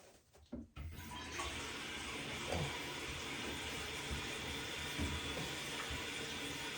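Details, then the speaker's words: Toilet tank after replacing worn flapper valve, water turned back on: steady hiss of water filling the tank evenly, no sputter or whistle, no running-water noise afterward; normal refill, fixed. "Okay, it is filled, and let's see if it has that running water noise. And there you have it. The toilet is fixed. There is no running water noise."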